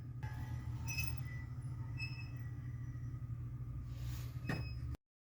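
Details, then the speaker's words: 5hp dust collector after refurbishment: steady motor and fan hum with a faint thin chirp about once a second, not present before; intermittent squeak, owner suspects something knocked loose or a bearing. "Upon the refurbishment of my dust collector system, something either got knocked loose or I don't know, I just blew a bearing, which would be weird. Wasn't happening before. But listen for the squeak."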